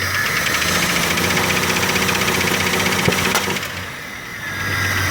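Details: 1998 Jeep Grand Cherokee 4.0L inline-six, hard start but idles fine, no code: revs rise, then a sharp pop and the revs sag, a backfire through the intake at 1500 rpm. Timing found 6° advanced; owner suspects timing chain and sprockets.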